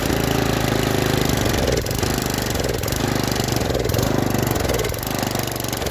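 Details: Junkyard Briggs & Stratton tiller engine, about 5 hp, freed after being flooded and seized, first start on fresh gas: small single-cylinder running rough, speed rising and dipping every second or so; surging.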